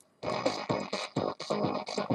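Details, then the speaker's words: Old Phoenix Gold ZX475TI car amplifier on the bench, one channel: choppy, harsh music bursts with a gritty, squashed edge on every note while the other side works; that channel clips and distorts, fault still being traced. "donc on entend bien que c'est saturé que le son est saturé de ce côté on entend bien que le son est saturé de ce côté dé la caméra"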